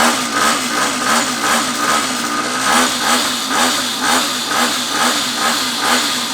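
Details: Neglected long-stored 49cc two-stroke pocket bike after carb cleaning, new fuel tap, fuel line, filter and tank; crisp buzz, pitch rising and falling evenly with throttle blips, catching cleanly each time; running normally.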